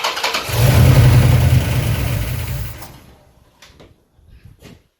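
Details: 1973 Dodge Charger, Mopar 361 big block with new hydraulic flat tappet cam and new Proform 750 carburetor, idle turned up, cranked by remote starter before the bowls had filled with fuel: strong rhythmic crank at three to four beats a second fades without catching; cranking, no start.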